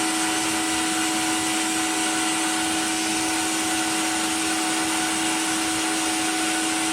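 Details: Cheap blaster cabinet during first test blast with vacuum extractor on, compressor may cut in: even, unbroken vacuum roar with clean steady hum, no surging or rattles; extractor running normally.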